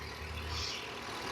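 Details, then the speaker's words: 2020 Ford F53 with replaced 7.3 V8, now warmed up after engine replacement that followed a cylinder 4 misfire (P0304): smooth, even idle with a steady low rumble and no misses or ticks; the engine sounds healthy. "Se oye muy bien la verdad El motor es una belleza verdad"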